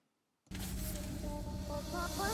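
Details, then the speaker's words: Jeep Grand Cherokee WK after all six spark plugs were replaced to fix a misfire and heavy shaking: after the test drive the engine note is even, quiet and smooth, climbing without stumble, showing normal running. "어 지금은 일단 테스트 라이브를 다 해본 결과 아주 엔진이 정숙해 졌고 부드러워 졌습니다"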